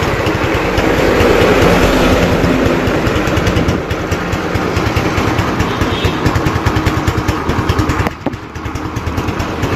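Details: Motorcycle idling after reviving a weak wet battery (10 volts, old battery water drained, cables cleaned); small single pops along at a steady, slightly uneven idle with a brief dip near the end; runs normally.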